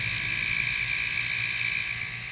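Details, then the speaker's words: Homemade silent airbrush compressor with copper lines, running: soft hiss of air filling the tank over a faint low motor buzz; very quiet and smooth, normal running. "there you hear it again like i said very quiet here a little buzz in there i think that's the motor running now"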